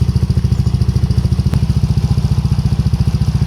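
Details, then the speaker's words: Yamaha NMAX with sudden shutdowns from too many accessories, fault traced to the ignition key switch, now running: quick, steady thumping single-cylinder idle, even beats, no misses or rattles; settles cleanly. "Oke teman-teman, jadi untuk motor udah hidup. Jadi masalahnya ada di bagian kunci kontak ya."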